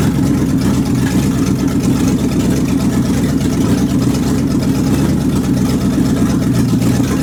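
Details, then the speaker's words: Warm 360 engine with thermostat open and no fan, after new belts and hoses and fixing leaks; loud, rough running with an irregular stumble of about three pulses a second. Misfire, owner suspects the carburetor gasket and vacuum lines. "it all run good still got a Miss in it I'm pretty sure that that carburetor gasket and all those funky vacuum lines I got"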